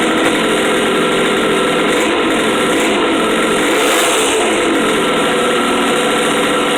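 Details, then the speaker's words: 1973 Kawasaki S2A 350cc two-stroke triple, first start after carburetor work: fired on one kick into a buzzy, even idle that holds steady without stumbles; runs mostly okay, normal idle. "well that certainly worked better than i was expecting one kick fired up and it seems to run mostly okay not terrible"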